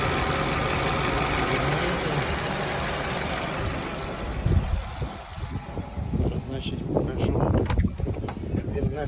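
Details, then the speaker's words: Nissan Rogue right after valve adjustment, engine warm; steady idle with some handling noise partway but no misfire stumble, sounding healthy, with 500+ km driven since without problems. "Ось такі оберти. Робота вона гарна. Я задоволений."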